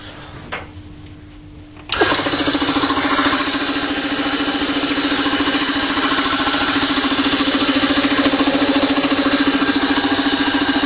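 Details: Old home-made air compressor with a 5 horsepower capacitor-start motor and small tank, pressure valve recently fixed: silence, then the motor catches at once into a steady even hum with constant pump chatter, no straining; running healthy, building pressure quickly.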